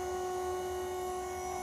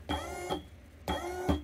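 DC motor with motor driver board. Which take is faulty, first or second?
first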